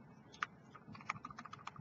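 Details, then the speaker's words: LMC Redemption 80W single-18650 mod: quick light clicks of the large fire button followed by loose plasticky rattle after each press; fire button loose in its housing. "button rattle is terrible LMC absolutely disgusting which makes it feel extremely cheap if you would just tighten that up this this device wouldn't feel quite so cheap"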